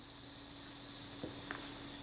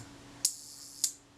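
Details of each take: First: Kodak Retinette II film camera during service, self-timer buzzes about nine seconds then shutter fires at a quarter-second setting with two clicks half a second apart; shutter seems a bit slow, speeds need adjustment. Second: Kodak Retinette II film camera during service, shutter tested before the retainer ring is fitted: two crisp clicks about half a second apart as the shutter cocks and fires cleanly; normal shutter operation.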